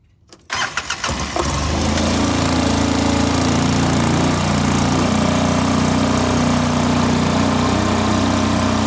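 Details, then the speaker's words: 2005 Polaris Ranger XP 700 EFI twin: battery replaced and disconnected, no fault codes. It cranks, catches and holds a fast, raised idle while running poorly overall. The eventual fix was cleaning the TBAP sensor and throttle body. "yeah, but it still seems like it's idling high, unless that's the way it's supposed to."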